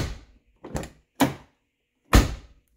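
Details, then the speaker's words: 1990-1997 Lincoln Town Car door after new striker bolt bushing and adjustment: short solid low thuds opening and shutting, no rattle; once didn't latch but needs little force, expected to wear in. "perfect here lining up it makes a little thud when you open it didn't shut that time but you don't have to slam it very dang hard"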